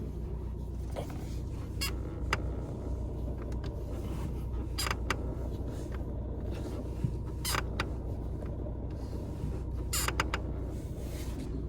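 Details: Fiat Egea 1.3 Multijet manual diesel at idle, rpm fluctuating earlier: steady rumble with short irregular squeaks or creaks every few seconds, belt area suspected; intermittent engine-bay creaking.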